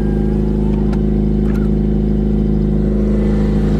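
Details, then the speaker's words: Car with exhaust leak: loud steady low drone with coarse rumbling pulse, no crisp note; sounds disconnected near the headers, to be fixed. "so for now let's just go ahead and show you guys the exhaust leak this has yeah we're gonna have to be getting fixed today"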